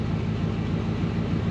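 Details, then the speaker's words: Ford 302 V8 in an Econoline van, warmed up after the bent #5 intake pushrod repair. Low, even, mellow exhaust rumble with a smooth pulse and no ticking or knocking; good oil pressure, normal idle. "my exhaust sounds good nice nice and mellow"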